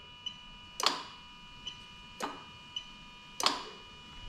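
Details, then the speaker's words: A/C compressor clutch on a 1JZ-GTE VVT-i JZS171 engine with a new Altezza RS200 plug-and-play harness, cycled via its relay; sharp metallic clacks every second or so as the clutch pulls in and out, engaging normally. "okay yeah you can actually hear it and i'm thinking because i can actually see it going in and out hopefully you can as well"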